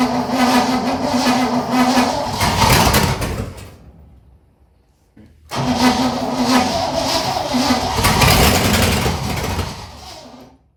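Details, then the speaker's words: 1959 Corvette after 30+ years sitting: two short cranks each catch and run rough a few seconds with good oil pressure, then die; fuel starvation, carburetor needs rebuild or replacement. "at this point we know the car starts and it actually sounds fairly decent for how long it's been sitting has great oil pressure for the one to two seconds that it was actually running and at this point we have a fuel issue"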